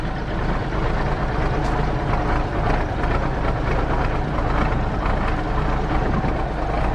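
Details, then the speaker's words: 1983 K100 truck with Cummins diesel, first start after fuel water-separator filter change: deep rough but even rumble at idle, smoking a little as it always does on first fire-up; idling normally. "She's smoking a little bit. It's what it is. Always does when you first fire it up."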